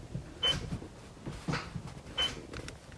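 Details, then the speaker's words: 2001 Alfa Romeo 156 mk1 with newly fitted rear parking sensors, heard inside the cabin on selecting reverse: short high beeps about once a second, showing the sensors are powered and working. "şimdi geriye taktığımda böyle bir ses geliyor hani"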